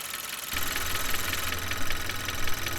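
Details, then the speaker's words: Mechanic's stethoscope placed around the valve area of a running engine at idle: light quick tapping about four times a second; valve lifter ticking, oil level checked first because low oil can cause it. "It's coming right here from around the valve area here, which is a pretty good indication that it's with the valves, the lifters in that area there. Now, first thing I'm going to do, I'm going to check the oil levels, because if the oil levels are too low, that can also cause that."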